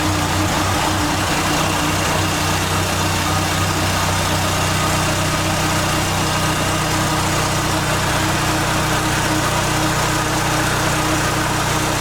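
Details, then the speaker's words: 1989 Dodge Daytona ES on a lift, engine idling cold with a steady even rumble, no knocks, misses or surging, after fuel system, wiring and exhaust work; sounds healthy. "thank you a little cold nature but uh sounds good"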